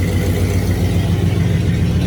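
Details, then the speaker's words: 1965 Cadillac Coupe DeVille rebuilt V8, timing 8 degrees advance, no exhaust fitted, after re-gapping plugs: deep steady idle with even low beat, still shaking a little but no more popping; much better. "Now that sounds better. Still shaking a little bit, but"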